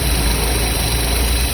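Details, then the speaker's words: Three-cylinder engine being diagnosed with an oscilloscope: low, rough idle with an uneven pulse. Swapping spark plugs moved the misfire to cylinder two, confirming a faulty plug. All three plugs are to be replaced. "inverter uma vela ó o sinal a falha agora foi para o segundo cilindro então vamos trocar a velha"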